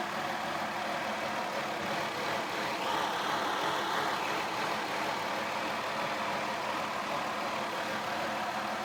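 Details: 2002 Mazda Tribute, cold engine: uneven, shaky idle at about three pulses a second with a faint rattle; stalls unless throttle held for high rpm; throttle body cleaned, O2 sensors and spark plugs replaced without fixing it; cause unknown.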